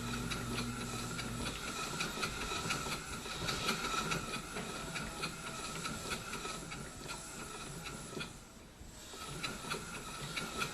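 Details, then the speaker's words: Marine steam engine with a balanced D valve, running in forward at about 5 psi steam pressure: soft, even chuffing with a steady hiss at a slow pace, no knocks or stumbles; normal smooth running. "At least you can hear that it's turning pretty smoothly, and it turns nice and evenly."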